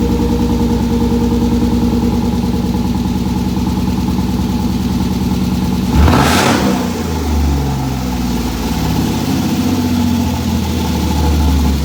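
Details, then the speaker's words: Gramps, a turbo sleeper Ford F150 with a cammed V6 (CX Racing T76 turbo kit), cold at about 50 degrees: choppy, loping idle at raised speed, one sharp blip, then settles; idles down once warm. Normal. "I can probably say I've never heard a V6 with a cam sound like that before. Yeah, me either. You should hear it when it gets warm because then it idles down. It's just, she was idling kind of high because it's cold in here."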